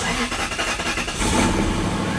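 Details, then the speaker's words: Lexus LS400, owner thinks 1997: after pulling the cam sensor wire away from where it touched the belt, a few quick cranks, then it catches cleanly into an even, steady idle with no misses, with smoke clearing. "Bet you she fires right up. Fire right up. She'll run perfect."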